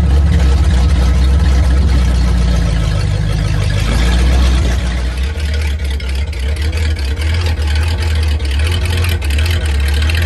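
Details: 1950 Ford flathead V8 flatbed dump truck, revived after sitting about 40 years, driving at low speed around the yard: deep, steady low rumble with even firing and no knocks. Drives pretty good; the engine runs healthy.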